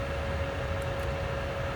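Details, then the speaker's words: ICP Comfortmaker gas furnace after variable-speed blower motor replacement (no-cooling call, indoor fan dead), jumpered R to G: steady airy rush with faint constant hum while ramping to 50% continuous fan speed; no rubbing or ticking, healthy. "I'll stick that wire right there and I'll let it ramp up"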